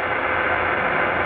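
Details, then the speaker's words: Qodosen SR-286 AM radio. Constant hissy buzz with faint hum and no station: digital hash noise from the display leaking into the AM band, rising with a hand near the cabinet or with volume changes. This unit is quieter than the worst stock one. "you can still hear this digital hash noise on this model"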